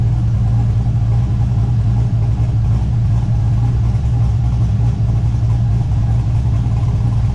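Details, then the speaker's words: LS1-swapped Subaru BRZ V8, just fitted with a Michigan Motorsports Stage 3 drift cam, not yet tuned, warmed up a little: heavy, uneven, steady chop at idle; the normal lope of a big cam. "After it warms up a little bit, it starts to really chop and you can hear it. Here's what it sounds like."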